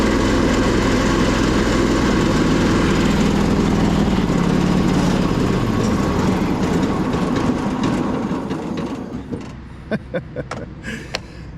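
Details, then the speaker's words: 2008 Husqvarna YTH2242 with Briggs V-twin, as traded in, with blades engaged. It runs loud, lumpy and uneven with a big backfire, then dies with a few pops: a misfire from a bent push rod. "Pretty rough shape, and it's kind of insane with the blade spinning like that. Big backfire."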